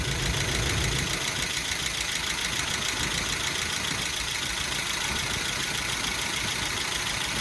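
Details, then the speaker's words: Hemi 5.7 V8 first start after MDS lifter work, letting it settle: steady idle with light even crisp top-end ticking, nothing irregular; runs normally. "we got a running engine whatever you do don't put your hands over there get there running pretty good runs good sounds good"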